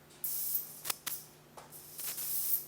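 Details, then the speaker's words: Slayer exciter Tesla coil with a bigger NPN bipolar power transistor, supply raised to about 20 V: sharp bursts of high hissing as a grounded wire draws an arc; normal working arc hiss. "now i don't know if you can hear but it's hissing at me"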